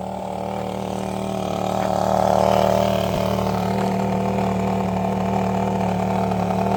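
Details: 2006 Range Rover Sport 4.2L supercharged V8: steady idle with a faint hiss over the engine hum; intake vacuum leak diagnosed from fuel trim versus throttle.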